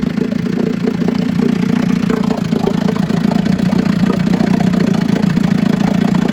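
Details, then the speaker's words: 1956 Scott Atwater Bail-A-Matic 10hp outboard, first test run after rebuild for overheating and low compression (cylinders honed, rerung, new crank seals, impeller, carburetor cleaned, points set). Steady, even two-stroke burble at constant low pitch with no knocks or misses; normal idle. "This is the first test run of a 1956 Scott Atwater Bail-A-Matic 10. I already had it running, so it should start right up."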